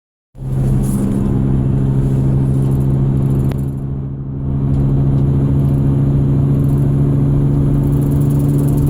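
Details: 2001 Ford Excursion running: steady low tone at an even pitch over the engine rumble, source not identified; whine.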